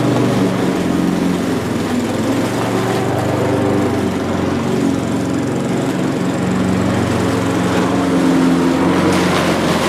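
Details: Old Mountfield push mower with entry-level Honda vertical-crankshaft engine, revived, cutting grass: steady even single-cylinder drone holding speed under load; normal running under load.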